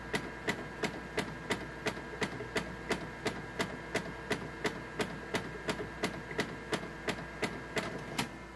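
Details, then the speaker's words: Canon MF733Cdw laser printer while printing: sharp, evenly spaced clicks, about three a second, over a steady running hum. Printouts come out wrong, with missing lines. "Hear that clicking. Correcting. So it clicks and it prints out weird. It's like missing lines or things like that."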